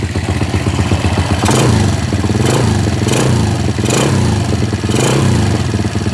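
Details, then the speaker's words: Honda EX5 with Dream 110 spec, 3mm jet rod, Dream head and block, after clutch adjustment: single-cylinder idle with light throttle blips, quiet with no rattle or knock; oil confirmed circulating to the head. Normal healthy idle. "Alhamdulillah, minyak hitam dah naik. Mesin pun bunyi senyap."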